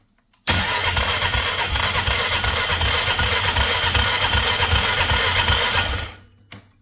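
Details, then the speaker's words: 2003 Polaris Magnum 330 with hard start, on jumper pack after battery died, fuel leaking badly from petcock: steady cranking for over five seconds, never catches; owner suspects weak fuel pump. "Yeah, that just does not seem like enough."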